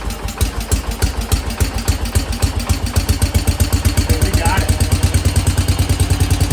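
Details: 1968 Case 155 hydrostatic garden tractor, first start after sitting with dry tank, on choke after cranking to fill the carb bowl: small single-cylinder thumping with steady even firing, settling into clean regular run; normal running.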